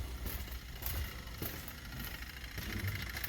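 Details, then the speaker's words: Toyota Hilux KUN26 diesel at idle (codes P0047, P2564, P2588, low power, no boost) with the donor module refitted: light quick chatter of the turbo actuator stepper motor operating normally, codes cleared to check if they return. "oh can you hear the chatter of the stepper motor already let's just clear these dtc's and see if they come back"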